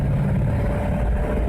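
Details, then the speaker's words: 1957 Ford Fairlane with a 292 V8 and Ford-o-matic automatic, accelerating up to speed from a stop: deep, steady low rumble pulling evenly with no knocks or misses over the road noise, running normally. "Seems to be running just fine. We got a little spot here we can get her up to speed. And you know, you can hear it's running good."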